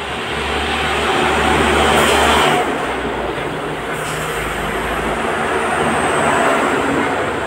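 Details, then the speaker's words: Honda PCX 150 that would not crank, after replacing the 5-pin starter relay: low even idle hum under street noise, no stumbling or knocking; starts and idles normally, relay was the fault. "ini saya tes juga nih normal mau nyala motornya"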